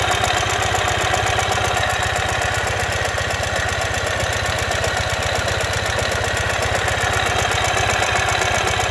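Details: 2015 Ural Ranger twin at idle: a loud, fast, uneven knocking at about two and a half per second over the exhaust, caused by a collapsed front crankshaft main bearing.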